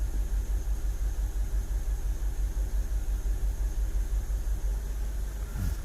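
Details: 2006 BMW 750Li (N62 engine) idling after valve cover, upper timing cover and alternator bracket gasket replacement. Deep uneven rumble lopes about twice a second with occasional stumbles; a rough idle with intermittent misfire and a returning fault code, cause unknown.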